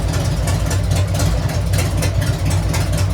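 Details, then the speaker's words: Harley-Davidson Sportster 883 converted to 1200 with Wiseco pistons, rings and cylinders, first start on heat cycle, about 79 degrees, 105 on pipe: deep loping V-twin idle, even beat, no knocking or ticking; top end sounds healthy. "don't sound bad. I'm supposed to rev it. I'm supposed to be doing a heat cycle."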